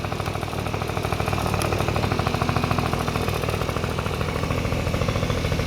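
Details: Honda Dio two-stroke scooter after cleaning oil flooding from a leaking oil pump and fitting a DIY gravity-feed fuel tank: quick, slightly uneven putter at a steady idle, about three to four beats a second, no knocking; healthy.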